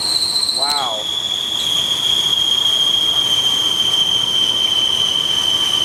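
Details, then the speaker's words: Ford LTD, believed 1975, abandoned about 28 years, first start without brake clean: loud steady high-pitched squeal over the running engine after a brief dip, origin unclear, possibly alternator charging; exhaust not loud. "don't know what that noise is. That means the alternator charging"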